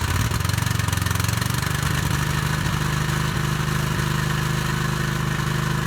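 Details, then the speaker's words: Cub Cadet riding mower with 27 HP Kohler, needed only a battery, deck belt and oil change, engine untouched: catches quickly and settles into a steady, even idle with no misses or knocks; healthy running. "but to the engine didn't have to do anything, and it runs, did an oil change in it, and it's ready to go."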